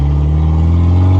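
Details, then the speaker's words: After repair, a Mitsubishi Evo drives with steady engine and road drone and no high-pitched brake squeal. The squeal had come every year as the weather warmed and was fixed by sanding the outer lip of the rotors. "so just took the car for drive and by the sounds of it we got it fixed"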